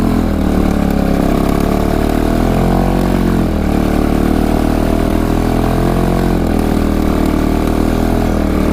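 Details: 1998 Kawasaki Prairie 400cc four-stroke ATV, just started on choke: single-cylinder thump with pitch wandering up and down every couple of seconds, unsteady hunting idle; owner thinks it's running a little lean.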